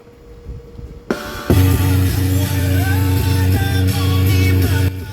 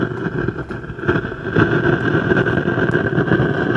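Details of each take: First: Jumbo Sub 238-BT AM/FM stereo after both TDA2030 amplifier ICs were replaced (one had burned, causing crackling and hiss): music plays cleanly with full bass, no crackle, popping or hiss. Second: Jumbo Sub 238-BT AM/FM stereo: constant hiss with irregular crackling from speaker, persisting with source inputs disconnected; one TDA2030 bridge power amplifier IC burned, replacing both TDA2030s restored normal audio.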